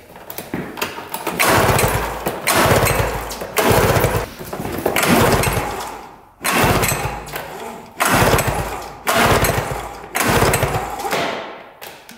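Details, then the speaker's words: Arctic Cat Panther 440cc snowmobile that had been sitting and died while being ridden last year; key on. Repeated pull-start bursts, about one a second, rope whirr, no firing at all; no spark, CDI or kill switch suspected. "all right so we've got absolutely no spark here"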